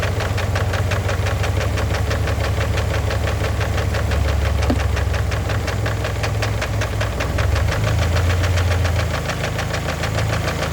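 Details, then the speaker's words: Engine that starts fine but knocks once at operating temperature, idling warm with a steady rapid knock about four per second; thick oil had masked it, and adding Lucas heavy-duty oil stabilizer did not stop the knock. "It starts up fine, and when it heats up, it starts knocking."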